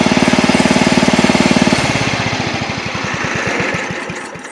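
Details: Old Montgomery Ward Power Kraft riding mower, no air filter: even, regular firing beat holds steady, then eases slightly as the blade takes load, after earlier stutters in gear; runs and cuts well, healthy under load.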